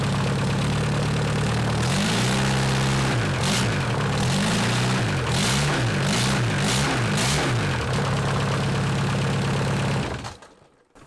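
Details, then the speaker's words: Junkyard VW Caddy 1.9 SDI diesel, about 190,000 km, restart with worn belt pulley and bearing; even diesel idle, clean rev blips rising and settling smoothly, then tidy shutdown, engine runs healthy. "that's so cool I love it I love it I'm just loving so it runs awesome so awesome"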